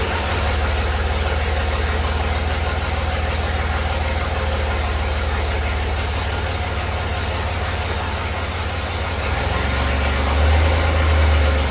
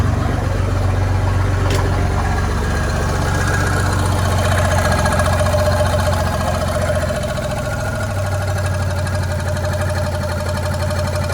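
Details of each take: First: Willys Jeep CJ5 with swapped Chevy 4.3L V6, exhaust only run halfway with no muffler or tailpipe, setting timing: long steady idle, even low thrum near four pulses a second, lazy note. Ignition timing retarded; the distributor won't rotate far enough to advance it. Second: Chevy 4.3L V6 swapped into a Willys Jeep CJ5, timing set about 4° before top dead center: even, settled idle with steady low pulse, no misfire or pinging; a tab may rub the bottom pulley; normal idle.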